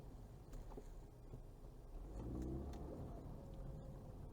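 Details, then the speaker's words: Ford Fusion EcoBoost AWD after repair of its rear drive system: tight turn with acceleration produces only a steady low engine note. The rear shudder when turning and accelerating is gone. "100% faz barulho nenhum"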